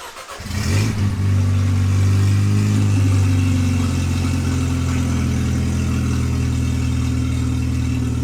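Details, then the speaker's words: Supercharged Mercedes C230K W203, manual, 183,000 miles, started with open headers and catalytic converter removed: engine fires, flares, then settles to a very loud, deep, raw, throaty drone; open exhaust, header and cat to be replaced. "Jesus that is loud oh boy so if you're gonna start a car with open headers in the garage maybe wear some earplugs it's pretty loud"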